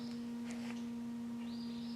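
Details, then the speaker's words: Ford F250/F350 (2011-2016) aftermarket projector headlight with Morimoto 2Stroke H7 LED bulb; thin, steady high whine from the LED bulb's built-in cooling fan, noticeable but normal. "I don't know if you can hear that in the video, but you can actually hear the fan running in the LED, which is normal,"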